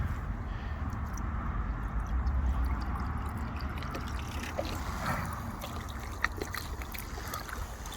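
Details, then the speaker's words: Old washing machine drain pump, a known-working unit, running live outside while water is poured in from a 2-litre bottle: low steady hum under splashing and gurgling with no rattle or grinding; pump runs and moves water normally. "So it's live, it's running. We're going to pour water in using a 2 litre bottle, and I'll film it coming out there."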